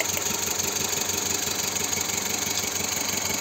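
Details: Parked petrol car idling unevenly with a stumbling pulse about three times a second; diagnosing a misfire in one of the cylinders causing engine shake while stationary, injectors to be checked next.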